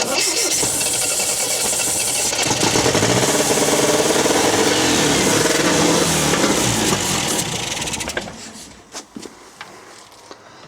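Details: 1974 MGB GT that sat for 29 years, on a first crank attempt without changing the battery. The starter churns steadily at about four beats per second but the engine never catches. Cause suspected, not confirmed: cranks, no start.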